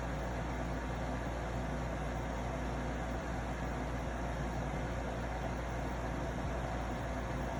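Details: Arctic King 8,000 BTU (12,000 BTU ASHRAE) air conditioner running: constant low electrical buzz from the compressor; unit possibly defective or mishandled, fault not identified.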